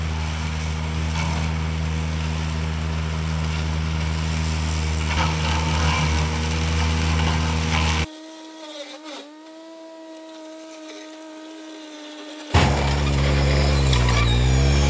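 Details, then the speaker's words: Ventrac Tough Cut belt-driven PTO cutter clearing a briar thicket: a steady engine drone whose drive note sags and wavers as the cutter bogs in brush, then recovers. The PTO belt is slipping and burning, and heat will stretch it. "now i said it was a learning curve and you can hear me burning up the belt on this thing this is a belt driven pto when you get stuck instead of breaking something it just slips that belt"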